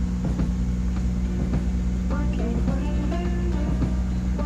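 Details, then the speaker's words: 1989 Buick Reatta after installing new AC Delco idle control valve; steady petrol idle with low hum creeping upward in speed. Runaway high idle persists; stuck idle control valve suspected, cause not confirmed. "Yeah, it's getting higher. Okay. Well, I think we'll kill it there."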